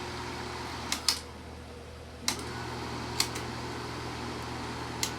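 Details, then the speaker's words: Kodak Pageant AV-126-TR 16mm sound movie projector running: a steady motor and fan whir with a low hum and a few scattered sharp clicks; it runs normally, as originally. "but it looks pretty cool but it still runs great same as it was in the origin in this in this model"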